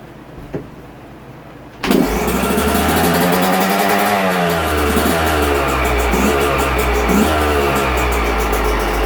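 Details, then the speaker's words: 2022 Yamaha YZ125, about 30–40 hours, after a top-end rebuild for a broken stock cast piston and lost compression; first fire, gas and choke on: a few kicks, then a crisp, steady ring-ding idle while warming up; healthy. "Well, she's a runner. I'm going to sit here and just let her warm up a little bit before I give her a test rip"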